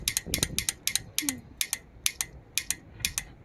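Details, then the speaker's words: ATsafepro 1/2-inch 40–210 Nm torque wrench set to 100 Nm: crisp, evenly spaced ratchet clicks about two per second, then a clean, sharp release snap at the set torque. Normal torque release click. "Let's check if there is a click when it reaches this torch. Now, okay, let's tighten it. You can hear the click very clearly."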